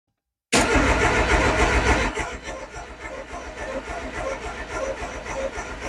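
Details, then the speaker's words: Peugeot 206 engine freshly rebuilt, injectors and fuel rail refitted, spark plugs in but coil disconnected: even cranking about 3.5 turns a second without firing, deliberately spinning engine to build oil pressure before first start. "Déjà, on va démarrer, monter l'huile en pression, qu'elle est partout dans le moteur. Et après, on mettra la bobine, les bougies sont déjà dedans."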